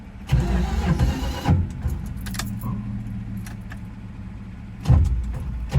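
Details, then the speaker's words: 1973 Dodge Dart Swinger, sat over a decade, after battery charging: cranks, catches and settles into a steady, even low idle holding on its own with a couple of brief blips; normal idle. "oh my gosh damn this holding idle on its own all right just holding idle on its own"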